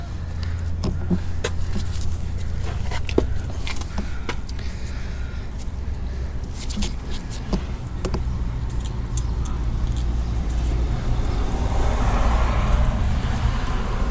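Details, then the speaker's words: 2WD Ford Ranger front wheel, bare rotor with caliper removed, rocked by hand: loose uneven clunks and rattles over a low hum; worn mismatched used wheel bearings not holding preload, excessive play, later replaced with KOYO bearings. "I can rattle this rotor even with no wheel on it"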